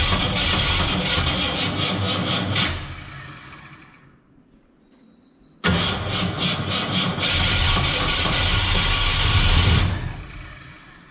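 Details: 1967 Ford Fairlane, first start attempt after sitting 7 years: two cranking tries sputter and cough with sharp pops back through the carburetor and never catch. Carburetor backfire while cranking.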